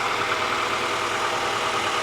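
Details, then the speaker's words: Honda B16A engine in a donor car, before removal for rebuild: even, steady idle with a crisp, smooth note and no knocks or misses; healthy engine. "But listen to how beautiful this engine sounds."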